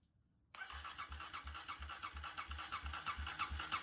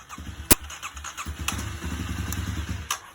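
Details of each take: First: 2009 Kawasaki KLX250S after carburetor jets cleaned, reinstalled, fresh gas: starter cranks evenly about three beats a second for six seconds without firing; choke suspected as the cause. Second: 2009 Kawasaki KLX250S just after its carburetor jets were cleaned and fresh gas added, started on choke: a few coughs, then the single catches and settles into a quick, even putter. Normal start and run.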